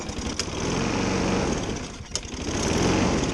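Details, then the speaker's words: Craftsman 6.75 HP self-propelled front-wheel-drive mower, Briggs & Stratton engine, after releasing stuck engine brake (not seized): starts on one pull, steady even drone, no knocking or misses; self-propel drive not working, belt suspected. "she starts one pull no knocking the self-propelled does not work"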